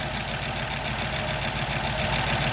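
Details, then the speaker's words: 1936 Buick Century 320ci straight-eight at smooth low idle after exhaust manifold repair, not yet warmed up: a light rapid top-end ticking over the exhaust from valves the owner says haven't been lashed in perhaps 50 years. "Of course, you can hear the lifters, the valves. That's another project. I got to get in there and adjust those valves. They haven't been lashed in, oh, I don't know, 50 years probably."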